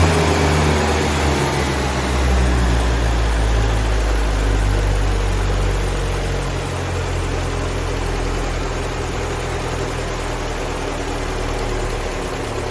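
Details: 1975 Land Rover Series 3, freshly rebuilt engine running after warm-up and timing set, vehicle parked 15 years before: steady, deep even idle with smooth low rumble, no knocks or misses; normal idle.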